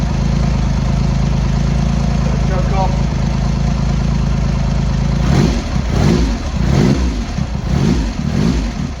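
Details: Triumph X75 Hurricane with freshly rebuilt, refitted carb rack, started cold first kick on half choke: lumpy tickover on throttle stop for five seconds, then throttle blips; runs unevenly, pilot screws thought set 7/8 out, carb tuning suspected needed.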